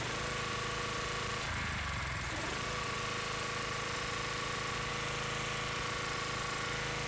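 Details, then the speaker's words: Gas power washer engine, previously rough, cutting out and low on power (a new spark plug didn't help), after the fuel line and filter were serviced: steady, even drone while the pump is loaded, no stumbling or surging; now runs stronger and smoother. "you can notice a difference in the way it's running much stronger much smoother"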